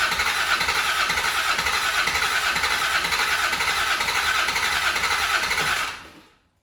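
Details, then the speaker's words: Land Rover Defender 90 Td5 diesel, first start after top-end rebuild, primed: long steady starter whirr with rhythmic chug that never fires, then stops; cranks but won't start. "It didn't sound bad. It sounded like it was almost trying to catch. So I'm hopeful. I don't want to burn out the starter motor, but I'm hopeful it'll run."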